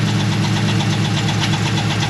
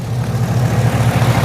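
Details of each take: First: 2011 Chevrolet Camaro SS, LS3 6.2 V8 with straight exhaust and long-tube headers, idling, camera mic at front: quick steady ticking about four per second over rumbling idle; owner suspects worn roller lifter. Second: 2011 Chevrolet Camaro SS, LS3 6.2, straight exhaust with long-tube headers, first start after a battery recharge: steady, deep, even idle with no ticking; the earlier noise and shake are gone, oil pressure 30 at idle. Normal idle.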